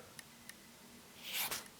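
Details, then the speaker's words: Bicycle mechanical disc brake caliper after adjustment, slightly bent disc, wheel spinning: near silence with faint light ticks and soft swish; no pad rub after backing caliper off half a turn, normal quiet wheel spin. "Alright, silence. That's good, but maybe we took it out a bit too much, so I'll go in 1/4 turn."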